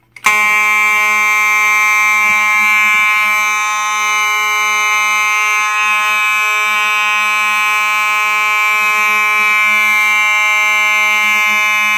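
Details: Simplex 4903-9219 horn, set off by a Simplex pull station converted to conventional use: loud, steady, buzzy horn tone holds unbroken for over ten seconds; the horn sounds normal.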